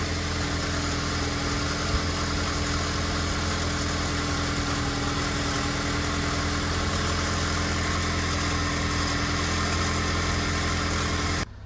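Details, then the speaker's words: 2012 Ford Explorer 2.0 EcoBoost, 93,000 miles, cold start after sitting 6–8 hours: steady idle with fast tinny metallic rattle, also on deceleration, from the turbo wastegate in the engine/exhaust area; turbo to be replaced. "right here we go we're gonna do a d-cell so you can listen to it they rattle right there that's it that's the turbo making all that noise at ninety three thousand miles not too bad yet but the customer is concerned about it"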